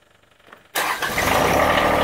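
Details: John Deere 1023E backhoe diesel after fitting a new battery, having sat a while: it catches almost instantly with no drawn-out cranking and settles into an even, steady run; a healthy start.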